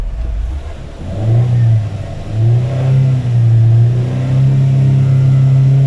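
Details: Chevrolet Spark after repair of overheating with oil and water mixing in the radiator, plain water in the cooling system for now: climbs smoothly from idle to a steady clean drone, no misses or rattles; normal revving.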